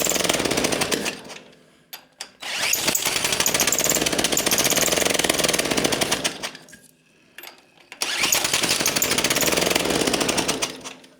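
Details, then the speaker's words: Early-1950s David Bradley walk-behind tractor engine, sat 20+ years: harsh sputtering bursts that die and catch again, plus a screech; runs rough. Owner suspects the reused head gasket leaking or a bearing, and the carburetor is not working; points and coil are good. "didn't like that screeching sound though that sounded like a bearing was very unhappy oh you know what the squeaking sound is I think that's the head gasket I bet you that's leaking yeah since I reused it bet you if we had a carburetor that worked would actually run"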